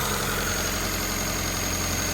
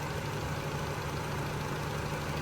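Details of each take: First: Honda CRX with idle surge, incorrect PCV valve fitted: steady fast idle around 1300 rpm with a loud hiss, pulling too much vacuum; vacuum leak raising idle, fixed by the correct PCV valve. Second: Honda CRX after replacing the PCV valve that caused a vacuum leak and idle surging. Idle set to about 750 rpm with ignition timing set; it now idles evenly with a smooth hum and no surging or hunting.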